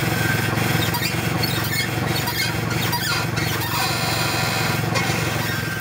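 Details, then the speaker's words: Worn ball joints, both upper and lower, non-greaseable with cracked boots letting in dirt and water: repeated high, dry creaking squeals a few times per second as the steering is turned or the suspension moves. "so here's what a bad ball joint sounds like when you turn the steering wheel or your suspension moves"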